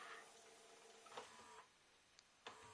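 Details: 1998 JVC HR-J756MS VHS deck that had been left out in the rain, after repair: quiet even tape transport whir with soft mechanism clicks; plays normally, drum heard rubbing slightly.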